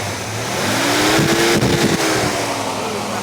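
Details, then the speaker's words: 1986 Ford Mustang GT 5.0 V8 convertible with a rotting body, just started: it revs up and settles back smoothly with a clean, even exhaust note, no knocks or misfires; the engine sounds healthy. "Yeah, I like that. Yeah, I know, it sounds pretty good. I don't know if it'll idle though."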